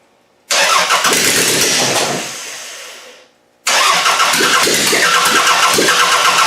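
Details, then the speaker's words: Car fitted with a GM distributor, timing being adjusted; the engine runs rough with sharp popping bursts, fades, then restarts still spitting. Popping through the intake, which the owner takes to mean timing too late. "If it's coming through the intake, that means it's going too late."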